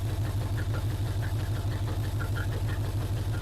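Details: 1980 Chevrolet C10 Cheyenne square-body small block, first start, hood off, open exhaust: loud even lumpy idle, no dead beats, running on all cylinders; oil pressure came up, slight water leak noted.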